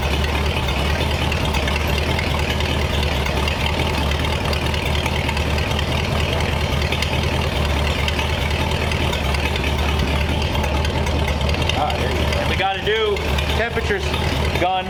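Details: Replacement 1935/36 Ford flathead V8 block (fitted with parts from the original engine) in a 1934 Ford, first run with coolant and good oil pressure, checking for overheating; a deep, even burble holds a steady idle with no knocks or misses, sounding healthy.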